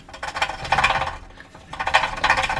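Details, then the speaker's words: Subaru exhaust, engine off: two bursts of tinny jangling rattle like loose pieces inside the catalytic converter; owner suspects broken cat contents, considers replacing the cat, slight gap noted between header and pipe. "that that is what I hear rattling that's that's the sound that it makes"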